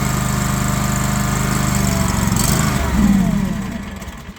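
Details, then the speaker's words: Wacker RD27 mini roller with a newly installed Predator 670cc engine: chugs evenly at a steady pace under light load while driving forward and backward, then eases down; runs smooth and healthy. "Start it right up. Sounds good. [Music] [Applause] Forward, backwards. Everything works good. Looks good."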